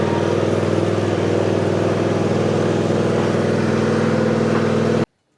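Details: John Deere Z355E zero-turn mower, former dusty no-start, engine rebuilt with a new governor gear: steady, even engine drone with a smooth regular pulse and no knocks or misses, then cut off; runs healthy.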